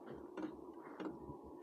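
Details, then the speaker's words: Hcalory diesel heater firing up: sharp ticks about every 0.6 seconds over a soft background hum as the fuel pump pulses while it lights, with a little smoke; normal fuel pump ticking at startup. "She's getting ready to fire up here, and hear the oil pump."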